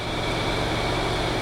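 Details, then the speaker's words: Audi TT with the key out: steady rushing whir of the radiator cooling fans still running with no engine, which will drain the battery; owner suspects broken wiring, as on a previous S3; fans running after key-off. "these fans they shouldn't be running like this with the key out they really shouldn't and if they continue they're going to kill the battery"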